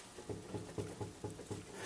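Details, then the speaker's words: 2007 Dodge Charger, 111,000 on the clock, raised rear wheel rocked by hand at 12 o'clock gives dull clunks about twice a second from about 2 mm of play; bad hub bearing, to be replaced. "there's about maybe 2 mm of play in there don't really hear it going 3 to 6:00 but from the 12:00 position you can feel it doesn't take much to move it either you can move it from the wheel so hub bearing is bad"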